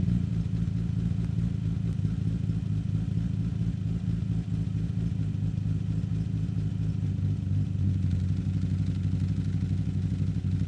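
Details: 1963 Austin Healey 3000 BJ7 Mk II fast road spec straight-six, cold start running full rich, microphone at the tailpipe: deep, even burble with a steady firing beat and no misses or knocks; warming up cleanly.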